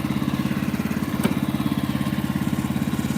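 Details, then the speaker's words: Sawmill bandsaw cutting cedar for siding: a steady drone with fast, even chatter of three to four pulses a second. The blade is dull and bouncing, with a tooth out of set leaving chatter marks. "This blade is getting dull. It's starting to chatter quite a bit."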